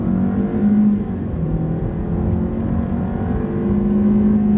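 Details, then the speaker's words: Ford Escape with 127,000 miles, after swapping the number two and three ignition coils and erasing codes: hard-throttle road test pulls cleanly with a smooth drone. No misfire returns and the check engine light stays off. "sounds good no misfires i had a press bike escape with this many miles on it main reason i'm dumping on it hard is i want to see if the misfire will come back and so far it hasn't"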